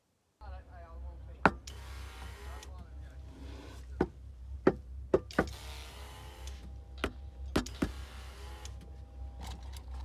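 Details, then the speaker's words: Boat with a GT-40 engine (about 350 hours), intermittently surging or dying: sharp knocks on the back of the engine block at the computer make the fuel pump hiss on and off, due to a broken capacitor wire on the ECU board, fixed by resoldering. "so knocking on the back of the engine block that's where the computer is we were knocking on it and the fuel pump system was engaging just like it should and it was engaging on and off on and off"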